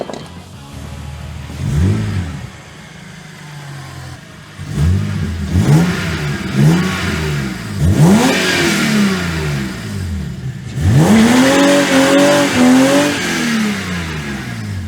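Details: BMW E46 330ci drift car after fitting new OEM-code exhaust gaskets: several clean blips that rise and fall smoothly, with no puffing or ticking between revs; the exhaust sounds sealed and healthy.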